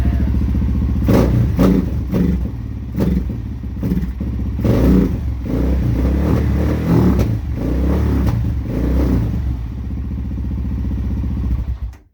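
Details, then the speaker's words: Suzuki LTZ400 quad, first start in over a year, briefly warmed up with fresh coolant: ragged, thumping single rises and falls unevenly with throttle, carb backfire reduced by warming, but at full throttle it sputters and dies; stalls at full throttle. "as you can tell he's into it it's all right but like i said full throttle it just dies"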